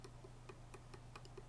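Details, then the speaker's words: Floyd Rose 1000 tremolo on an ESP LTD Arrow 1000 that won't stay in tune: a pick dragged along the knife edge makes quiet dry clicks, about five a second, catching on a burr along the right edge. "it's almost like knocking knock knocking on Floyd Rose's door all along this right edge, too."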